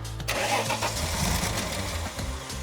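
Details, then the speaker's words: Nissan R31 Skyline sitting for years: coughs and splutters through uneven firing bursts, never runs smoothly; misfiring, distributor rotor contacts found rusty, injectors tested pulsing; cause not confirmed. "It runs on arrow start. It's starting to cough and splutter with fuel. So, the but it's missing."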